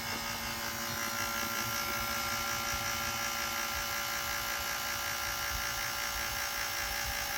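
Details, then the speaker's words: 1983 Ford F-150 AC system converted to Sanden compressor and R-134a, vacuum pump on gauges pulling both sides: busy high-pitched steady whir, pump loads up, reaching 28 inches of vacuum with no sign of a leak. "So yeah, right about now we should hear it load up. And we're at 28, which is 28 inches, which is a full vacuum."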